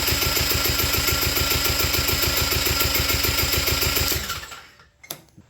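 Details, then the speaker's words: Quad that stopped running, acting like no spark, compression test at full crank: quick very even cranking, about three and a half beats a second, no load on the stroke; under 30 PSI, low compression. "that's a significant problem it's not even 30 PSI what this thing ran when I put it away last and it hasn't been that long"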